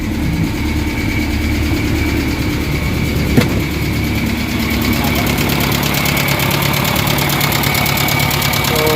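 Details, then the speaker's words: Kia Pride engine before repair, sudden high RPM at start; loud fast even tapping/knocking from top end over a rough idle; exhaust-side rocker arm hydraulic lash adjusters stuck with no play, fixed by removing and servicing the valve mechanism. "grabi ang lakas ng makina guys kinabahan ako pagpa ko pa lang dahil biglang High RPM so ang lakas ng knocking so nakakatakot"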